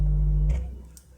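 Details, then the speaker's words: Klipsch R101 subwoofer on an existing amplifier via a normal unshielded RCA cable: steady low mains hum even with no audio playing, from ground loop/cable interference. "இதை கனெக்ட் பண்ணி பார்க்கும்போது எனக்கு அந்த humming noise வருது. நீங்கள் கேட்கலாம். அப்போது அந்த ஹம்மிங் நாய்ஸ் கனெக்ட் பண்ணி பார்த்தீங்கன்னா எந்த வீடியோவும் ப்ளே பண்ணாமையோ இல்லை எந்த ஆடியோ ப்ளே பண்ணாமையோ அந்த நாய்ஸ் வரும்."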